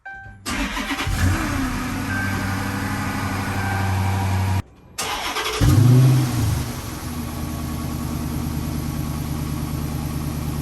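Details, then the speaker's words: Higher-mileage 2013 Dodge Charger Hemi ex-police car, just after replacing all 16 spark plugs (some old ones oil-moist) with Autolite Iridium Ultra, started before warm-up. It cranks, stumbles, restarts, then settles into a smooth, even idle, much smoother than before. "I'm not gonna lie, it's running smooth. It's running way smoother than before. Very smooth."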